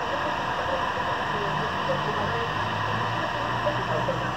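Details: New 0.5 hp peripheral water pump, previously only humming because the impeller was jammed, after freeing it and reconnecting the capacitor: smooth steady hum with water rushing through, no stalling; normal running.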